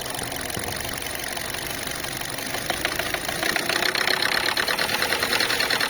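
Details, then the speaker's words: Chinese car just started, idling with a light, uneven tapping of about three per second that grows louder; the knock comes from a loose, dangling filler-neck hose. "а вот что стучит у нас на этих слушайте болтается как это шланг Да горловина"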